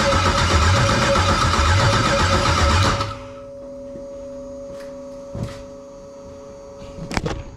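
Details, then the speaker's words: 1999 Firebird with swapped LS LM4 V8, first start attempt on makeshift fuel pump and partial wiring: starter churns steadily about four beats a second for three seconds with no firing; cranks but won't start. "go well that's a noo disconnect that so I guess since it doesn't start gives me the perfect opportunity to make a video of a guy that has no idea what he's doing troubleshoot an LS motor"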